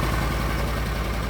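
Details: Argo ATV after winter-storage no-start repairs (upgraded carburetor), running with no jumper wires after the fuses were replaced: smooth, even low idle thrum with regular firing pulses and no misses. Normal idle.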